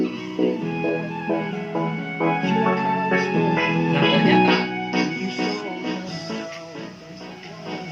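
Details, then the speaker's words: 80-watt power amplifier playing music from a phone: clean output with steady bass and clear highs, no crackle, hum or clipping; normal amplifier output. "saya ternyata bunyi dengan Hai jernih tanpa cacat"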